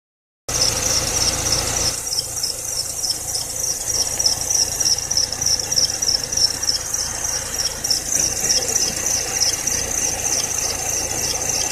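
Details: Serpentine belt squeal at idle: constant high chirping squeal; tightening or loosening didn't help, replacing the belt cured it, though the AC compressor, whose bearing was later replaced, may also have whistled.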